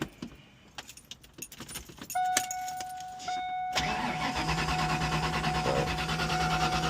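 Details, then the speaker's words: Ford Mustang Foxbody convertible, believed 1992, with a customer-replaced fuel pump and a recharged battery. Keys jingle, then a steady crank that never fires; the gauge shows no fuel pressure. "Got nothing there. All right. So, what we're going to do next, we're going to check fuel pressure."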